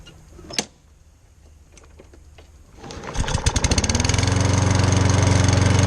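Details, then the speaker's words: Lawn mower that grew harder to start in its second year, now treated with a can of carburetor fluid. After a pause it fires on the first pull, picks up quickly and holds a steady, even beat with no misses. Normal running. "the idea is first poke no problems ever i figure my brother with that four dollar can save me about 250 dollars and this thing runs terrific and it's a great mower"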